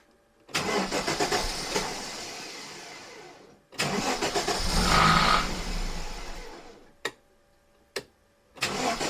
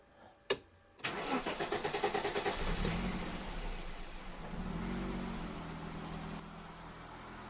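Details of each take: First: Aston Martin DBS resto-mod engine on an aftermarket Emerald ECU: several short cranking bursts, engine catching briefly then fading; hard starting, startup fuel trims suspected to need adjustment; earlier misfire eased after 20–25 minutes of run time. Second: Aston Martin DBS resto-mod on an aftermarket Emerald engine computer, firing sequence now corrected: quick crank, then a smooth, even idle. An earlier misfire eased after 20–25 minutes of run time; owner suspects rings sticky from sitting.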